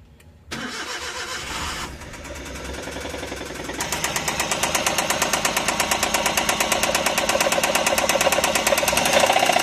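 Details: Suzuki DA64V engine: cranks and catches, then a sharp, regular tick-tack knock rides over the idle, keeping pace with engine speed; engine knocking.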